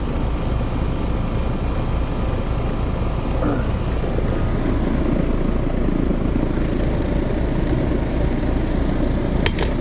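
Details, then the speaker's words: Outdoor heat pump unit with fan disconnected, going in and out of defrost: loud, coarse, steady low rumble from a worn compressor near failure, to be replaced. Total draw 11.5 A, fan about 1.2 A, compressor about 10.3 A. "That compressor sounds a little bit rough. Going in and out of defrost okay, but I think the loud noise she's hearing is the compressor."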